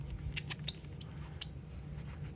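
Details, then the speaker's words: Dry squeaking in quick bursts as a cotton ball with car scratch remover rubs a circle-scratched PS1 disc's bare polycarbonate; the squeak means the compound has run out and more must be added. "you hear that squeaking so that squeaking means that it's literally just the cotton ball against the polycarbonate"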